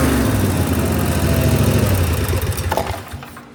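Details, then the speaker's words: Snapper mower with digital tach, idle about 1400 rpm: strong steady note holding pitch without surging, then winding down; no longer over-revving, owner thinks it is in range. "So I think I'm in the range. It doesn't sound like it's over revving like it was before."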